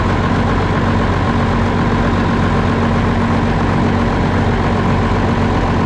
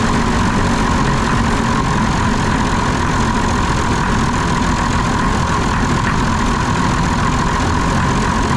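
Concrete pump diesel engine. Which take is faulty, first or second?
second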